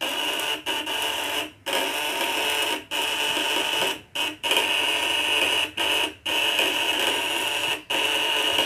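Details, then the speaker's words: Spool coil device (1.5 kg, 200/500/1000 W test) with points adjusted tighter, normal full-output running: harsh steady buzz with piercing high whine in short bursts, louder and higher-pitched with 500 W at maximum. "Nah, ini naik lagi, suaranya lebih melengking. 500-nya ini lebih maksimal."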